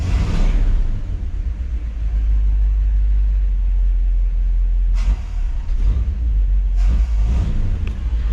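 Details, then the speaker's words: 1959 Chevy Bel Air 348 V8, Rochester 4-Jet, with the old reassembled accelerator pump barely squirting. Deep rumble with two throttle blips that bog before the revs pick up, hesitation felt on the accelerator: a weak accelerator pump that needs replacing. "yup needs an accelerator pump i could put the carter back on it"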